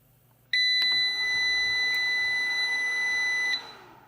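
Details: MUST EP2000 Pro transformer inverter/UPS switched on in factory configuration with ferrite beads on cables: one steady high beep lasting about three seconds, then quiet; normal power-on signal.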